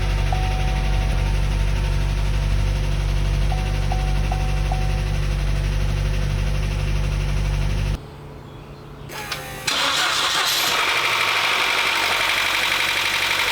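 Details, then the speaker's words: 2012 Chevrolet Cruze 1.4L turbo after head gasket repair, first start: fast even lifter ticking about four per second over steady idle; lifters not soaked in oil before reinstall, oil filter housing was empty; should quiet after minutes or one or two heat cycles. "it's quite a bit of picking I didn't soak the liers in oil before I reinstalled them which I should have but that noise should go away after a few minutes maybe one or two heat Cycles even"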